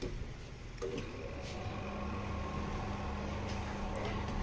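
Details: GFC 8600 washing machine spinner after refitting a dropped nut on one of the three balance weights under the machine, which had left it unbalanced and noisy. Steady, even hum with a faint constant tone and no knocking or wobble; normal spin.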